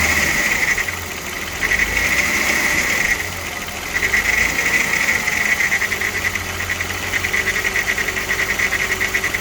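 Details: VW VR6 AES petrol engine idling, with a dry metallic timing chain rattle riding on top of the engine note.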